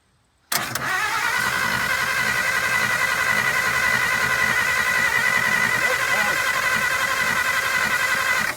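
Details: 1951 Pontiac Chieftain factory straight six, first start attempt in over 25 years, water found inside, starter possibly activated by shorting with cables: starter grinds evenly about eight seconds without catching; cranks but won't fire, cause unconfirmed.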